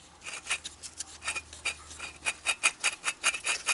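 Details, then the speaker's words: Yamaha Kodiak/Grizzly ATV front wheel bearings turned by hand after removal, giving a gritty rasping grind in uneven bursts; both bearings worn out, being replaced. "shouldn't sound like this should be nice and quiet both sides both bearings are shot"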